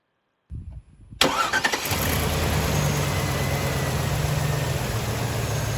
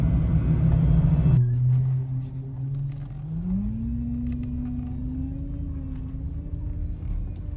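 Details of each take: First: 2003 Chevy Trailblazer 5.3L V8 after power steering pump replacement: cranks, catches quickly and settles into a smooth, steady idle with no pump whine; normal idle. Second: 2003 Chevy Trailblazer 5.3L V8 idling: low steady whine rising in pitch and holding, failing power steering pump that whines when turning or accelerating and stiffens steering; pump replaced.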